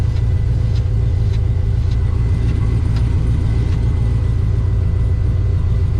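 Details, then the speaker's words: Street car engine on 93 octane, idling as it warms up to temperature; oil pressure reads right, about 41 psi at idle; a steady, even low rumble with no knocks or misses; normal idle. "Sounding pretty good out here. Water temperature getting up to temp there."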